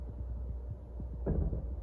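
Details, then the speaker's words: Walk-in cooler evaporator in cooling mode after new controller install (set 34°F, 5° differential): low dull thumps several times a second over a deep hum, felt by hand on the box; single fan inside, cause unknown. "you hear that that thumping is coming from the evaporator I've got my hand on the box and I can feel it"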